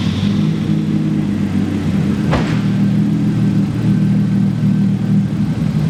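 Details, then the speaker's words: RB20DET-swapped Nissan 240SX S13 with a big turbo, after bad lifters were replaced, the cams and timing belt refitted and a vented catch can added: a smooth, steady low idle with an even rumble and no lifter tick or belt noise. Normal idle. "alrighty boys so as you can tell she is running very good"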